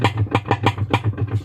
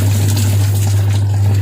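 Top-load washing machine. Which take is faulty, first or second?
first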